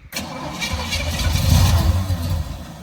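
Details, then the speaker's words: Small-block "Pontiac" 327 V8 after running out of gas: the starter turns it over at a steady four beats a second but it never catches. No start from fuel starvation; a carburetor fault is also suspected. "the very end of the video that you saw the car kind of die um it ran out of gas and then we got some gas back in it and that car carburetor was something wrong with that carburetor"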